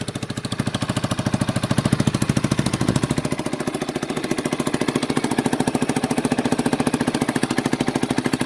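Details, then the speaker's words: 1989 Yamaha Big Bear 350 ATV that sat 10+ years, first revival run on half choke warming up: steady, even single-cylinder idle with no knocking; healthy idle, though it dislikes throttle, may backfire, and possibly has an exhaust leak. "She sounds good. There's no knocking. There's no knocking or anything into her."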